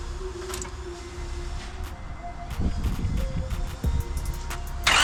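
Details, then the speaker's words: Right-hand-drive station wagon just fitted with near-new PLM headers and a Mishimoto radiator, first start in January, no leaks seen: it cranks and catches, then a loud, raspy exhaust at idle, stupid loud, likely from the new headers. "That is stupid loud. Stupid loud. Stupid loud."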